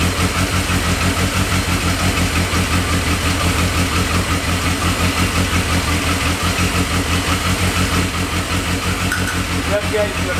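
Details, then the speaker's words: Yamaha XJ650 four-cylinder after battery charge and basic service, first start: steady, even idle pulse with no misfires or mechanical clatter; running properly, though idle may need adjustment. "so there we have it guys I think we got really really lucky there the bike seems to be running quite alright to me that sounds very promising"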